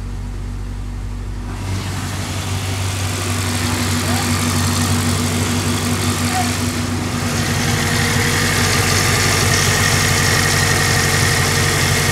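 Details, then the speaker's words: Toyota Corolla XRS 2ZZ first start after a timing chain cover gasket job: engine catches and settles into an even, steady idle with a smooth low rumble, no misses. Normal idle. "she sounds good yeah sounded good dude"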